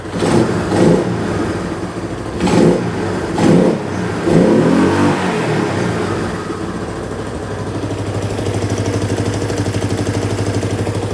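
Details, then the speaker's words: 1985 Yamaha Moto 4 200 just after timing chain replacement, with the tensioner adjuster set and oil topped off. Several crisp throttle blips, then an even idle with almost no engine noise and no ticking or chain rattle: normal running. "There's almost no engine noise coming from this thing. Sounds good."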